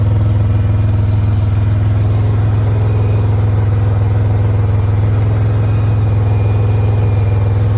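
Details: 2005 Pontiac Grand Prix GTP, little to no rust, at steady idle: an even puffing pulse about three times a second over a deep drone from an exhaust leak that needs fixing.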